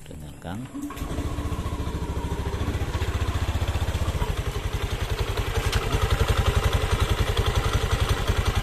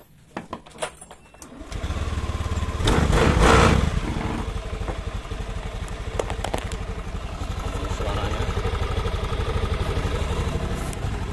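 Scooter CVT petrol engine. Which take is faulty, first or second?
first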